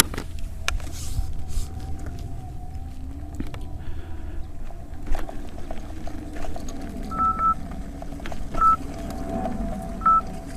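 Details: 84 V Nikola electric unicycle on its first tough steep hill: short high beeps in bursts, about four over several seconds, above motor hum, the 90 A current alarm tripping. MOSFETs later blew.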